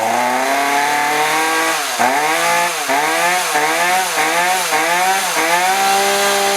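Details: Roughly 35 cc chainsaw with 14-inch bar that won't rev; revs surge up and sag back in quick waves, never holding full throttle; bogging traced to a bad spark plug that still showed spark.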